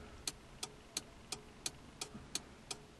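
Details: ZAZ-1103 Slavuta, turn-signal relay 495.37 47 after its contacts were cleaned and treated with WD-40 and the relay reinstalled: crisp, evenly spaced ticks at about 87 per minute, with the flasher cycling normally.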